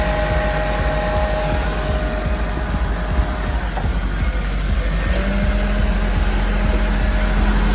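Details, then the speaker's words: Honda S2000 (CR) idling after radiator, hoses, thermostat and VTEC solenoid replacement and a coolant change, while bleeding coolant: steady idle with an airy rush, then an even low hum as the cooling fans switch on and run normally. "Just want to see if your fans are good. All right, those fans appear to be working."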